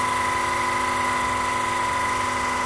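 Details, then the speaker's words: PM-25MV milling machine after belt drive spindle speed upgrade, running at about 3000 rpm: steady high spindle hum and clean even whine, no knocking or grinding; only slight, non-excessive vibration, normal running. "a tiny bit of vibration but it's it's not excessive definitely no worse than my grizzly in fact it's it's better than my grizzly"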